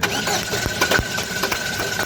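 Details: Chevrolet Cruze with engine hesitation: engine catches and runs with uneven, stumbling beats and irregular sharp pops instead of a steady idle; misfire suspected, cause unconfirmed.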